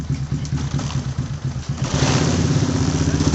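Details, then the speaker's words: Honda Supra X 125 that often stalls when the throttle is snapped open: faint, sharp ticking over the revving single that quickens with revs. Spark is leaking and arcing to the frame, from the CDI or the coil (not yet checked). "Terdengar adanya suara yang seperti adanya pengapian ataupun api yang bocor menyambar bodi. Entah itu dari api dari CDI ataupun dari kuil, belum kita cek, tapi seperti ini kodenya. Ada suara pengapian bocor."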